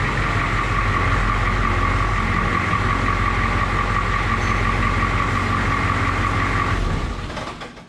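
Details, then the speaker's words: International S1654 diesel truck after oil cooler rebuild, new starter and new radiator, radiator cap loose to purge air: steady even diesel drone, no knocks or misses, settling down; test run normal. "well test drive test run all that stuff went good"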